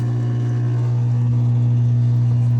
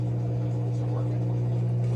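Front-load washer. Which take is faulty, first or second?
first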